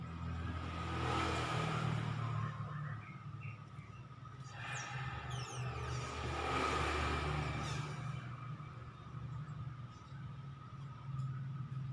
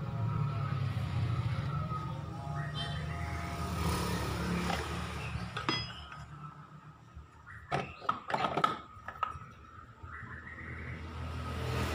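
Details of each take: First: Honda Vario 125 CVT, cover off, run up twice with pulley unloaded; coarse gravelly rumble swelling with revs, 'krek krek' noise. Suspected worn pulley bearing; fairly new bike, noise began after air filter change. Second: Honda Vario 125 CVT after cleaning and reassembly, test run: even low drive hum, no squeak or rhythmic clicking, one short clink midway; now smooth and quiet.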